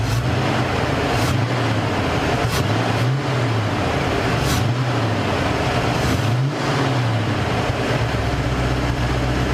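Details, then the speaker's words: Mercury Cougar V8, idle after the misfire was addressed: deep, steady idle with a smooth, even beat and no stumbles or skips; the misfire is gone and the exhaust smells better. "yeah miss fire's gone she sounds good"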